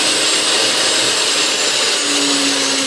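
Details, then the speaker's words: Restored Hamilton Beach Model C vintage mixer (early 1930s), new cord: smooth steady high-pitched motor hum, no grinding, rattle or speed hunting; normal motor running. "so Singh runs incredibly well I cannot believe how good this thing runs considered the age of this machine"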